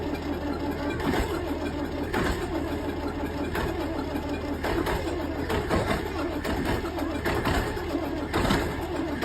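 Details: Volvo tractor diesel at -15°C; slow, labouring starter turning over in uneven surges about once a second, never catching; cold crank, no start.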